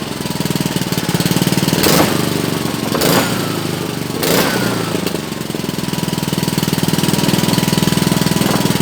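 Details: Honda GC160 5 hp single-cylinder after hard-start repair (faint spark), started with choke: catches and settles into a quick, even putter with a few louder early bursts; healthy running.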